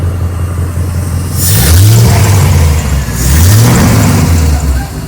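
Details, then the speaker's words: Jeep with a salvage-yard engine, after replacing the ignition coils: restarted by cranking alone without a double tap, catches cleanly and takes two smooth throttle blips with no misfires. "just crank it no misfires"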